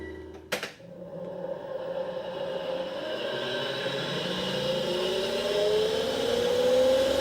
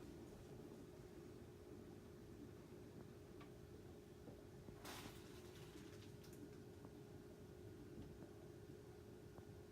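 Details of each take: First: 10-year-old Panasonic NA-VR1100 drum washer-dryer in drying mode: after a click, a rough whirring whine rises slowly. The blower fan motor bearing is galling from a foreign object, so drying stops with errors; a motor or bearing replacement fixed it. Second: 10-year-old Panasonic NA-VR1100 washer-dryer drying after its blower motor was replaced (the old motor's bearing was seized by debris). Now a quiet, low, even hum with no rattle or roar, and no error stops.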